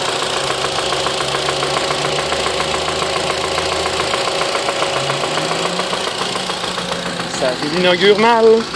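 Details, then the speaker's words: 2010 Mitsubishi Lancer GTS with the 4B12 engine idling on its first restart after suddenly stopping: a steady, sharp knock taps clearly through the running sound, clearly not normal. "si on écoute bien ce n'est vraiment pas normal donc on entend clairement le claquage alors que le véhicule et toi"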